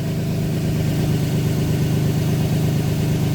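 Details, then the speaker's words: 2007 Nissan Pathfinder 4.0 V6 with 5-speed automatic: steady idle hum with a faint constant whine that grows louder as rpm rises, heard under the car with hood shut; automatic transmission whine, fixed by a transmission fluid change. "can just hear it it's like a zoo and if i if i raise the rpms hear it so that winding noise is what i'm gonna take care of"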